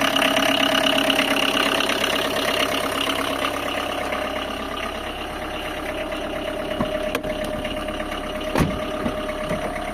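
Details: Tata Indica engine at idle with a steady, fast tapping chatter over the engine hum; abnormal engine noise, source unknown.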